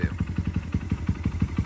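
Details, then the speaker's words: Honda XR100 big bore with BBR cam and 22 mm carburetor and modified intake, warmed up after timing and valve clearance adjustment: crisp even single-cylinder thump about six beats a second at idle, no ticking or misses; sounds as it should. "that's what she's supposed to sound like so obviously that intake working good for us"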